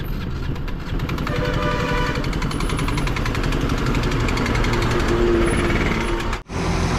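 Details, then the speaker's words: KTM RC 200 motorcycle with low oil pressure problem, engine seized: loud uneven knocking at about four beats a second over rough single-cylinder running with wind noise; bottom-end knock, cause unclear. "ये देखो सुन सकते हो आप कितनी गंदी आवाज आ रही है अगर आपकी बाइक में वैसी आवाज आए चलाने का बकुल मन नहीं करेगा"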